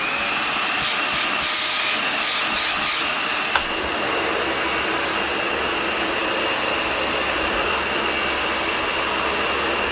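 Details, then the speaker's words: Garage-sale Dyson Ball Total Clean (UP13) vacuum, first test run: smooth, even high whoosh from the motor with no whine, rattle or surging, unlike a new-in-box unit that sounds whiny; motor runs normally. "so this thing actually runs better than the one I bought new in the box which is kind of crazy the one I bought new in the box the motor sounds really whiny and squirely for some reason this one sounds fine sounds like what I would expect a modern Dyson to sound like"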